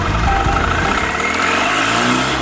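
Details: 2013 Mahindra Maxmo diesel, after clearing DTCs P0335, P0336, P1120 and P0223 for crank-no-start and low pickup: starts and rumbles steadily, rising smoothly under throttle without misses, knocks or hesitation; normal revving.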